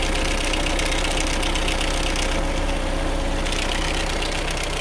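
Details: 1997 Chevy S10 at idle, diesel-like noise that worsens as it warms: fast, busy metallic clatter, a slack timing chain rattling from a failed chain tensioner, confirmed when restraining the tensioner quieted it; timing chain replaced.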